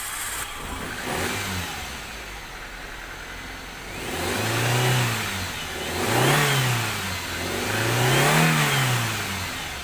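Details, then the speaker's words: Toyota Soluna after replacing a failed EFI relay that had cut spark and caused a no-start: smooth idle, then three clean revs rising and falling without misses or knocks; runs normally. "นะครับหลังจากเปลี่ยนแล้วนะครับก็และก็ยนต์สามารถติดได้ปกตินะครับ"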